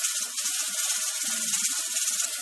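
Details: Pressure canner processing tomatoes on a stove while heat is slowly adjusted to find the sweet spot: continuous hissing steam with quick irregular rattling ticks from the weight rocking, canner venting steadily at pressure, normal.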